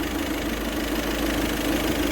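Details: VW Vento turbo diesel after injector knock fix: steady, smooth idle with low hum, no rattle or knock; the earlier tractor-like rattle, worst with AC on, is gone.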